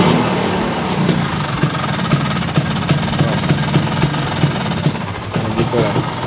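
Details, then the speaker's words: Vespa two-stroke at idle after a recent switch to a 7-plate clutch: fast uneven rattle and light clatter over a buzzy idle, the new clutch very noisy; owner plans to change to a 6-plate clutch. "Why karena suaranya ya guys ya berisik banget si kopling 7nya ini waktu gua kemarin ganti ya bisa kalian dengar ya"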